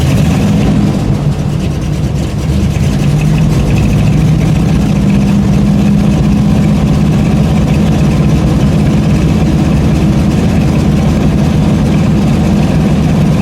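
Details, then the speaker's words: Buick that has been sitting two weeks, started after three pedal pumps, idles loud and too fast with a faint uneven stumble in the firing beat; it is misfiring, cause unknown, and the owner wonders about vapor lock. "it's running but misfiring don't know if you can hear it but this definite miss there"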